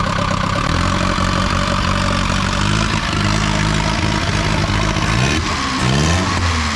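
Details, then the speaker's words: Long-sitting Datsun with a KA24E engine, first start after a new fuel pump and cranking to circulate oil. A light, quick ticking follows engine speed through idle and revs; the owner expects it to quiet once oil pressure reaches the rocker arms. "Alright, it's gonna be a little clicky at first. Gotta build up pressure all the way up into to the rocker arms and all of that. It'll quiet down in a minute."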